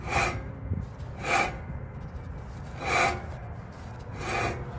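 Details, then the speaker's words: 2020 Ford F250 hub turned slowly by hand after removal, following a rhythmic noise while driving around 10–20 mph: dry gritty rasp with each turn, about four passes in five seconds; worn wheel hub bearing. "That's That's not supposed to sound like that."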